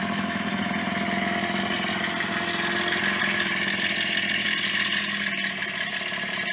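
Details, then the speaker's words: Yamaha DT50MX two-stroke restarted after a long lay-up, at steady idle with a loud, loose, uneven rattle. Owner suspects main/big-end bearings wobbling in the bottom end. "hmm well that is loud isn't it there's something like the name and bearing wobbling around"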